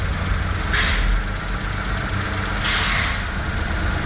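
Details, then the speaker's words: Japanese kei truck during inspection, idle being adjusted after being set for Japan altitude: steady small-engine idle sitting a bit fast with two short hissing bursts; idle slightly too high. "That's a little too high."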